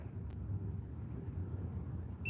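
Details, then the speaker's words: Multimeter continuity check on top-mount refrigerator compressor inverter harness white wire during no-start diagnosis: near silence, then steady high-pitched continuous beep; continuity beep, circuit good, white wire good. "Oh, what's that noise? Alright, so we know that our red wire is good."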